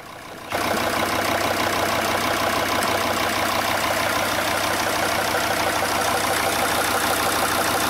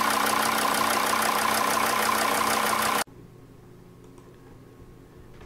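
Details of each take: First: Diesel engine idling before injector replacement, also slow to start even cold: rough, uneven idle stumbling about three times a second; computer diagnostics showed the third injector working very poorly and needing replacement. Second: Diesel engine idling after a faulty injector was replaced with a new one: even, regular clatter about three beats a second with no missed beats, runs smoothly without misfire; it still won't start when hot, and the fuel pressure regulator sensor is suspected next.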